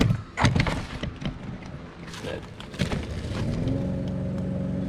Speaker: noise that you hear that's normal that's just the brakes what you're listening for is a howl or clicking or clunking or something like that that's a normal sound we're going to say that the wheel bearing is just fine